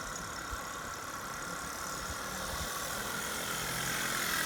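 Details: Solex 2200 moped on a road test after restoration: light buzzy two-stroke note climbing smoothly in pitch as it pulls away; even firing, no knocks or rattles, runs healthy.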